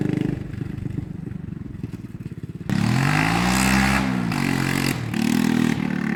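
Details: 1980 Honda XL250S single on a test ride after fixing bad-fuel stalling, no-idle and no-start and cleaning the carb; thumps at idle, then pulls cleanly through the revs with no misfire or stumble. Normal.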